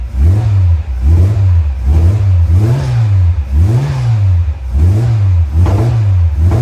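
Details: Innocenti Mini Cooper 1300 with Vmaxscart supercharger, startup after rebuild: clean revving blips about once a second, note rising and falling smoothly without knocks or rattles; normal running.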